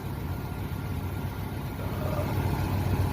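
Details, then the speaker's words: 1971 Ford F100 V8, running on a gas can, staying cool: steady even idle with smooth low burble, no knocks or misses; normal idle. "Yeah, I got it hooked up and it's running fine."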